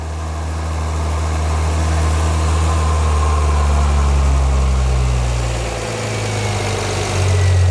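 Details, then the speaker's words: 2010 Volvo XC70 T6 idling with new custom intake without resonator: deep, steady idle with soft rush of air through the intake piping over a loud engine bay; running cleanly. "We can actually hear the sound of the air going through the piping. That's incredible."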